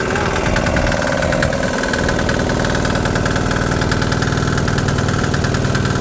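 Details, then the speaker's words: DIY 3HP 1.5kW single-cylinder generator idling on first start after new muffler fitted: fast, steady beat with loud, raw exhaust bark; quieter than before but still loud, muffler needs more support. Runs evenly, normal. "so the muffler needs a little more support, but much quieter. It's still loud as hell, that knocking, man, and it's idling"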